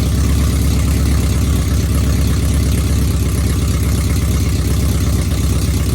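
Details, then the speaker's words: Truck engine with mechanical DOD delete but DOD still active in the tune, before DOD removal: lumpy, loping idle with hollow note, sounding like a four-cylinder, running on two cylinders per bank; DOD suspected of causing the misfire. "So, and it sounds like a fucking 4-cylinder when you start it up."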